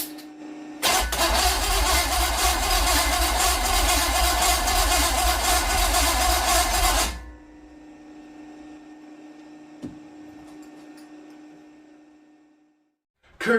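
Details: Mystery small-block Chevy 350 for a 1959 El Camino, after reinstalling distributor, wires and coil: about six seconds of fast even starter cranking, about four beats a second, sounds close to starting but never fires.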